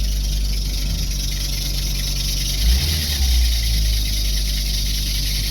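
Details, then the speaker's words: Steady deep droning roar at idle with a buzzy low rumble and vibration felt through the car; source not yet diagnosed. "you can hear that roar like the vibration almost a buzzing noise you can feel it in the car which is what's crazy"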